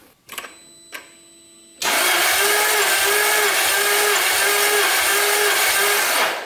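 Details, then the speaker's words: 1999 Jaguar S-Type V8, compression test while cranking with fuel pump fuse pulled and throttle held wide open: cylinder 5, steady starter whirr with even rise-and-fall; low compression, cause unconfirmed. "Cylinder 6. And that one sounded a little bit weaker, and it's only 25 psi."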